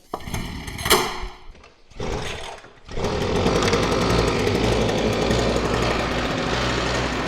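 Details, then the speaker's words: New Mototec 49cc two-stroke gas pocket bike, cold, pull-started with the choke up; catches and holds a steady, raspy buzz with no misses before the choke goes down; normal cold running on choke. "once you have the bike running you can put this choke lever back down in the down position"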